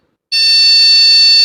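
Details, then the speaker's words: Desktop PC at power-on: one long, steady shrill beep and no boot, a POST error from a faulty RAM module. Replacing the RAM fixed it. "I know you can see a big sound which usually means a हार्डेबल issue"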